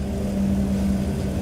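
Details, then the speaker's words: 2005 BMW 325i (one mention says 2003) with a P0300 code: cylinder 2 misfire from a failing ignition coil, found by back-probing the coil. The intermittent rough run is now a dead miss, giving a lumpy uneven idle with a missing beat. "Now it's, as you can hear, it's already a dead miss. You can probably hear it."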